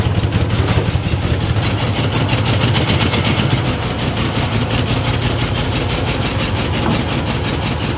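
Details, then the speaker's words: 1991 Ford F-150 5.8L with a lumpy, uneven idle and a rhythmic stumble in the exhaust beat. One cylinder is dropping out. A stethoscope at the base of the injector located the dead cylinder. "we found one injector that isn't fire we took the stethoscope put it up to the base of the injector and we see it's this boy right in there"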